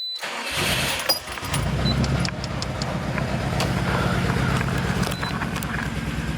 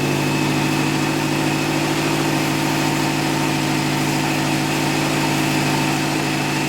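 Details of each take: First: Subaru STI first start after an engine replacement with TGV deletes: a short crank catches into a lumpy, wavering, stumbling idle. The owner suspects the ECU is confused by the TGV delete. Rough idle. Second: Subaru STi boxer turbo engine on second start after engine replacement; steady even idle, smooth low hum, no knocks or misses, oil pressure and coolant fine; new parts smoking off; normal healthy idle.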